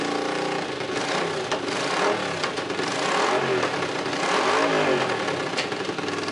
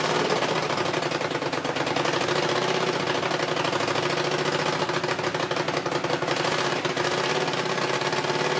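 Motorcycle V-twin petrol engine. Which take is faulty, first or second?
second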